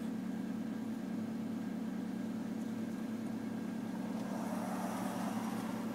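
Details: 1993 Toyota Corolla, cold engine: steady low buzzing drone over a smooth idle, a vibration noise heard only when cold; source unknown.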